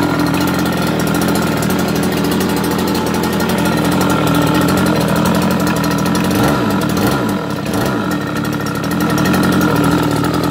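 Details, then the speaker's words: Brand-new two-stroke scooter engine on premix: buzzy idle holding a steady pitch with a slight wobble, no rattles or misfires. It runs fine but smokes heavily from the premix. "it still runs just fine smokes like crazy because the premix"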